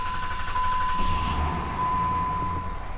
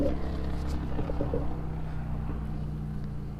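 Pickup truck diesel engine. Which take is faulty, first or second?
second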